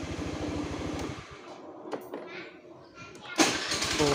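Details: Honda Click 110i scooter, which wouldn't electric-start, reassembled after a starter/relay check: quick catch and a few seconds of even, steady putter; normal start with no misfire.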